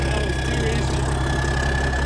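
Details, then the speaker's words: 1987 cabover truck diesel restarted while still cold after years sitting: even, low rumble with a steady beat and no misses. Running smooth despite being cold, though a fuel leak is noted; normal idle. "Wow. And for it to be cold, you know, usually these things are really bad about smoking and running like crap. This thing's running pretty smooth."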